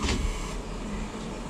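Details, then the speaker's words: 2005 Mercury Optimax 115 outboard with the key switched on: steady low electric hum for a couple of seconds as the fuel pump primes normally, heard up close, before cranking on a substitute battery. "When I turn this, the pump goes. You hear the pump."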